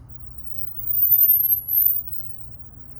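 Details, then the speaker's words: Rodent repeller just installed in a car engine compartment, light blinking, changed to green: piercing very high tone sweeping down and up, two chirping noises in a different tone, over a quiet hum; operating normally. "Yeah, it's a different tone now. It's It's starting to like hurt my ears. I don't know if you guys can hear that on the video, but uh it's making like two chirping noises."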